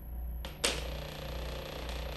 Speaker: did you know that your power plate should be silent but if you're hearing this noise it doesn't come from your power plate it comes from the electrical cord that is connected from your power plate to the power outlet